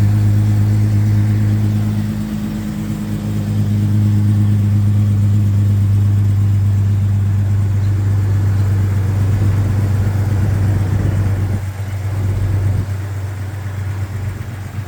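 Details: 1999 Jeep Cherokee XJ six-cylinder on cold start, low hum with a hollow knock about three a second; suspected piston slap, not confirmed.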